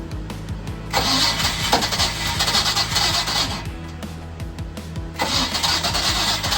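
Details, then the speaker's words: MerCruiser 305 marine engine in a 1995 31-foot Silverton yacht, where water was found in the oil: the starter churns at a steady rhythm with brief catches of life, but it never fires and runs; cause suspected, not confirmed. "All right, guys. So, it's not looking like it's going to work. Um, but what I am seeing right here is I'm seeing a little bit of life in the engine."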